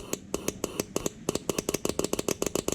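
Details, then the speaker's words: 2009 Cummins 6.7 diesel number two injector energized with air pressure, heard close to another injector hole via shared bypass: sharp regular clicks about six a second, each followed by short air hiss; injector opening properly, working normally. "you can hear the air leaking really good when I click this and you be should be able to hear this clicking really good as I do it hear the air you hear a click and then you hear the air"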